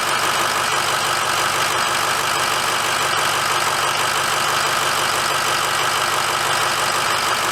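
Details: 2006 Ford F350 diesel started after oil and fuel filter change, topped off and run for a minute; steady idle with an even clatter and no misses or knocks, idling normally.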